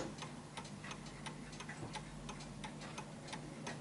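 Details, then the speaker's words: Vintage Bentima/Perivale Art Deco 8-day Westminster mantel clock after shifting it left and right to set the beat. Crisp, even tick-tock at about 87 beats a minute with equal gaps; running in beat. "so as you can hear that's the sound you're looking for there we go"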